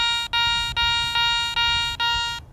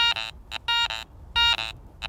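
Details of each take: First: Garrett ACE 400i metal detector, 10 kHz, bench test over a Roman coin with iron audio on: five clear, evenly spaced high tones with no iron grunts; clean non-iron target response. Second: Garrett ACE 400i metal detector bench test with iron discriminated and Iron Audio on: a bottle cap gives short choppy tones broken by low gruff grunts beside clean beeps, the iron warning of a bad target.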